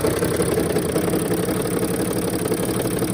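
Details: 2007 Sprinter 3.0L OM642 diesel at idle, accessory belt removed, noisiest injectors already replaced: rapid, uneven clatter about three knocks a second. Owner suspects injector knock plus gear chatter in the bell housing, possibly the torque converter, and an exhaust leak.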